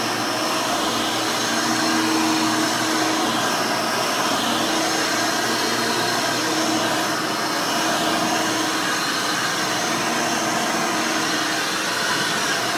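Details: Rebuilt Hoover Elite 600 upright vacuum with new 7 amp motor and 20-blade fan running; steady, smooth motor whine at constant pitch, no rattles, scraping or surging; fairly quiet, like the original 6 amp, healthy.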